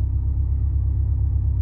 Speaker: and it's showing 8° timing Advance 900 RPM which is not far off that at all